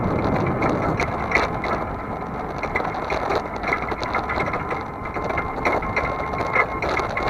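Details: Camera on back of vehicle while towing a trailer on a chilly day: irregular metallic chattering and clicking over road noise, loose metal-on-metal rattle at the trailer hitch; usual creaky hinge noise absent.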